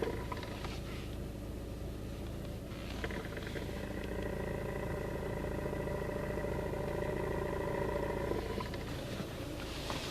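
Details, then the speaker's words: VAZ/Lada front-drive car at idle: steady mid-pitched hum over low rumble appears when the clutch pedal is pressed, with some pedal vibration; suspected release bearing failing or broken, not confirmed. "звук указывает нам на то что значит выжимной подшипник либо развалился либо он уже как бы на грани"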